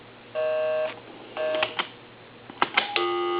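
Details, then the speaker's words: Repaired Coby CT-P750 big-button speakerphone plugged into a live line, dialing a number containing 3: two clean touch-tone bursts and key clicks, then a steady tone; normal dialing, and the phone works. "And I'm going to plug it back over into the line, turn it off, turn it on, and I'm going to dial my number, which has a 3 in it, and it should be busy."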